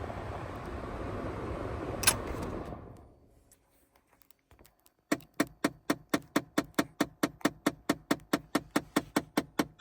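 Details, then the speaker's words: 2009 Chevrolet Impala LT, just after shut-off: engine stops, brief quiet, then steady soft ticking or bumping about four to five per second from the dash for a while; absent while the engine runs. "When I turn it off, it has a little bumping noise in the dash. So I'm just going to let you listen to that. It's not there when the car is running."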